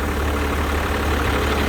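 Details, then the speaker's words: 1991 Blue Bird bus, Cummins 5.9 2-valve diesel after replacing both fuel lines and bleeding lift pump and injectors: steady, even low rumble with no knocks or misses; idles smoothly and healthy. "Sounds good, you know. A little 5.9."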